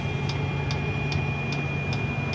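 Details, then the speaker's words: Fuel-burning heater installed in a Mitsubishi i-MiEV electric car, running from a temporary fuel tank: crisp regular fuel pump clicks about two and a half per second over steady turbine-like heater whir; pump working normally, though rather loud. "The clicking sound is the fuel pump and that turbine sound is the heater [Music] going."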